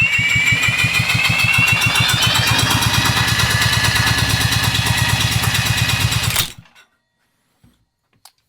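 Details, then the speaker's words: Tecumseh generator engine spun steadily by a drill during a compression test: fast, even but soft, weak chuffing; reads barely 50 PSI against about 100 ideal and 80 minimum, indicating low compression and an unhealthy engine. "So again, we got barely 50 PSI. So that right there would indicate that uh our engine's not healthy."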